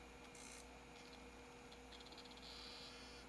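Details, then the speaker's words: Original hard drive in a Macintosh PowerBook 180c on first power-up after restoration: faint scratchy rasping with short high chirps and a thin whine during spin-up; rough, unhealthy-sounding start, though the drive works. "that did not sound good whoa it's starting yeah that thing did not sound good did you hear that it's working though"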